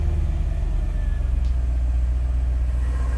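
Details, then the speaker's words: Mercedes CL55 AMG supercharged V8 from a neglected car that is being rebuilt, heard idling just after starting; deep, throbbing idle with a steady low rumble and no knocks or rattles, running smooth and even. "And you know, it sounds pretty good."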